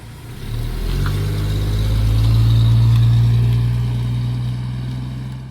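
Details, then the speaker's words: 1963 Chevy II with an inline six: smooth, even low rumble that swells with the rev and falls back cleanly, no knocks or misses; normal running, though it may smoke a little from transmission fluid on the tailpipe. "it could smoke a little bit cuz there some transmission fluid on the tailpipe well other than that it runs like a top"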